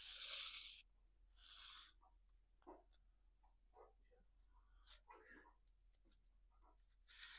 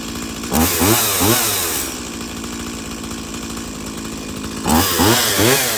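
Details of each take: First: Stihl MS170 chainsaw, engine off, used for trenching: hand-turned clutch and sprocket give dry scratchy sandpaper-like rasps from dirt packed around clutch cover and sprocket. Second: Stihl MS170 chainsaw after fixing the shut-off switch lever spring, with new plug, air filter, fuel filter and fresh fuel: steady burbling idle between two sharp throttle blips that climb and fall cleanly; runs healthy.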